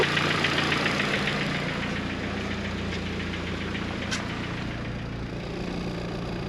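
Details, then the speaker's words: G23BK boosted-version engine, first start after build, cold idle: fast, even tapping about three to four per second, piston slap that goes away at normal operating temperature. "you guys hear that knocking noise that's the Piston slap once the engine uh goes to normal temperature it goes away"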